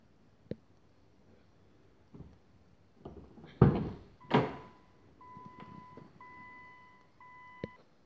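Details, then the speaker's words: Nissan GTR not driven for three weeks, battery going flat (owner suspects), needs jump start; on entry and start attempt, after door thumps the alarm sounds in clean, repeating short high beeps; pressing start gives radio and ignition lights but no cranking. "i'll show you guys what happens when i try and start it the alarm goes off but you'll see what happens next that's the alarm going off"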